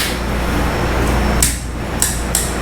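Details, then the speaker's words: 1985 Honda ATC 350X three-wheeler, checking the carburetor before a start attempt: several sharp light taps as the throttle snaps shut, the slide bottoming out cleanly; without it the carb may hang open. "If you hear that tap, That's that slide coming all the way back down and bottoming out on that carburetor. You want to hear that. It's very important."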